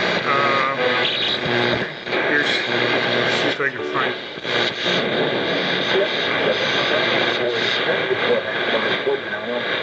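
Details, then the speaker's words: Zenith Trans-Oceanic R7000-2 shortwave radio on shortwave bands: steady hiss and crackle with garbled sideband voices drifting in and out; receiving normally. "r short wave bands are just they're just not much on them this time of day but you can hear the static that's probably upper side Band Here There we go Spanish I suppose"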